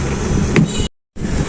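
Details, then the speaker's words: Original Butterfly sewing machine running: soft, even whir with steady low hum, no knocks or rattles; quiet, smooth normal running. "Butterfly সেলাই মেশিনের sound অনেক সুন্দর একবারে আপনাদের শুনতে পাচ্ছেন শব্দ নাই"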